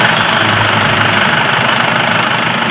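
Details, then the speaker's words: 2012 Toyota Innova after alternator clutch pulley replacement, headlights and air-con compressor on: steady even running, no whine or bearing growl, charging holds 14 volts; normal alternator under electrical load. "And guys, 14. Yan. Tapos guys, wala na iingay ng alternator."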